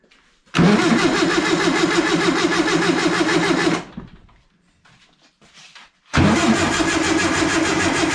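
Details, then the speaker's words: Stored warehouse-find air-cooled VW engine, gearbox in neutral, first crank test: two even bursts of starter cranking at a steady beat, spinning freely with no knocks or clunks. "Oh, she's cranking. That actually sounds pretty good."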